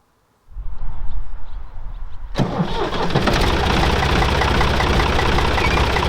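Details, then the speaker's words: Old Ford 555 backhoe diesel, cold start after sitting overnight; starter churns about two seconds, catches cleanly, settles into steady even idle, no knocks or misses, fairly quiet; sounds healthy. "there you go fires right up and runs nice and smooth and even fairly quiet for what it is so this thing sounds nice and healthy"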